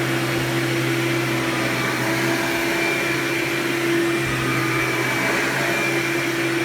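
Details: Hoover Power Drive Supreme U6318-930 upright vacuum, made June 1998, 120 V 7.8 A: loud steady high-pitched motor scream with even drone, no surging or rattles; normal running.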